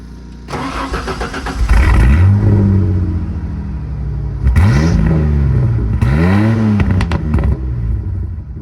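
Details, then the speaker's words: Peugeot 306 with 2-to-3-inch exhaust being welded, air filter off, carburetor possibly needing work: engine cranks, catches, revs up and falls back several times, pitch following throttle cleanly; it runs. "Alright, but you can tell it's running."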